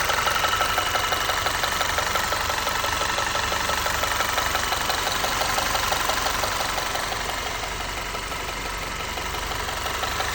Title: Mechanic Quiz 2.0t Audi VW Knocking noise at Idle Tapping Ticking Before & After Repair